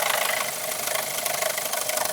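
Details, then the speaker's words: Car with lumpy idle and an EPC warning light: fast, even, sharp metallic ticking knock over a steady idle, turning diesel-like; engine knock at idle, origin unconfirmed, timing chain suspected. "Is that the engine knocking? That's not good. I think we're going to have to investigate that further."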